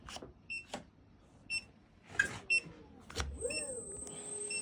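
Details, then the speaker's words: Xiaomi/Carrera 2.0 electric scooter after throttle replacement, no error code: short electronic beeps about once a second with faint motor whir, motor not reaching correct speed; beeping stopped after swapping the controller unit. "But it's got this unusual beeping sound. And I've never come across this one, and it's not it's not really coming up with an error."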